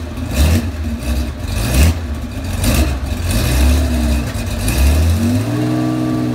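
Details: 35-year-old Porsche 911 SC wide body, 3.3 engine, PMO carbs, M&K exhaust headers, at cold start: blipped revs surge and drop with sharp backfire pops; owner notes rich smell, smooth once warmed up.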